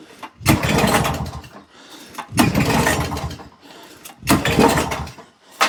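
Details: Old auction-bought mower, half choke, mixture screw wound out half a turn, smoking: three pull-start bursts, each catching briefly then dying. Fires but won't run; owner suspects a missing carburettor jet, cause unconfirmed.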